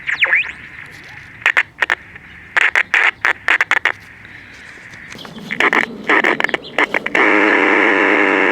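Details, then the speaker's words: 1960s Major AM pocket radio with tin dome-top transistors: harsh crackling bursts and hiss break up the audio, then a steady loud rush; a bad AVC capacitor is suspected, not confirmed. "okay so it sounds like it might have a bad AVC capacitor there's also something funky here"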